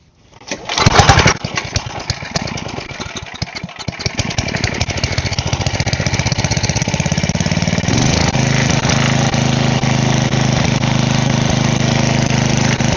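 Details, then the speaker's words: Side-shaft small engine meant for a go-kart, fuel line repaired, air filter refitted, oil still due for a change: pull-start catches at once, surges briefly, then settles into an even, steady putter, running normally. "But I guess I'll just run it one more time, make sure it still runs good, and then I'll probably change the oil a different day."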